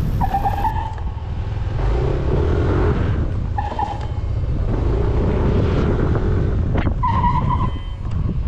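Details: 2021 Yamaha NMAX scooter with ABS, braking with rear brake only: short high squeals repeating over road and engine noise, and the rear reportedly skids; rear brake/ABS fault, cause unconfirmed.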